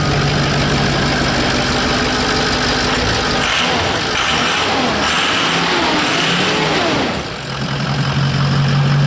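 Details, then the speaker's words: Diesel truck with the exhaust off at the cat: loud, open-sounding idle with a steady low rumble and no VGT turbo whistle; the turbo is not audibly spooling, cause unknown. "Surprised it actually started, but as you can tell, no whistle."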